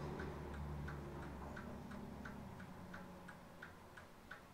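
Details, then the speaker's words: 1920s Seth Thomas Sentinel pendulum mantel clock, about 100 years old, just wound and started: steady tick about three per second, evenly spaced over a low background hum, gears moving; running normally. "Well, seems to be running. So gears are moving up in there. That is pretty cool."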